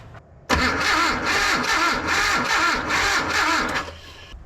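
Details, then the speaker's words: Datsun 720 King Cab 4x4 pickup that sat for about 20 years, cranked with a brand-new ignition coil: even starter churning at about three compressions a second with no firing at all, still no spark at the plug. "feels extremely weird because that's a brand new coil with the same setup and we're still not getting spark."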